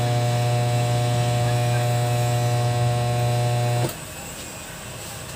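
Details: Kevler KR-310A powered speaker: loud steady low buzz with constant pitch that cuts off abruptly to near silence, pointing to an amplifier mains hum fault.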